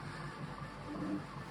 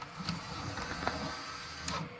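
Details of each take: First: EIBOS Dyas filament dryer, freshly unboxed, running during a multicolour ASA print: quiet even hum with soft stepper-motor tones from the printer drifting in pitch, no clicks or grinding; dryer fans barely audible, operating normally. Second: EIBOS DYAS filament dryer with a nearly new ASA spool: motor hum with intermittent dry scraping bursts as the spool turns, the full spool rubbing on the acrylic baffle mounting pieces and binding.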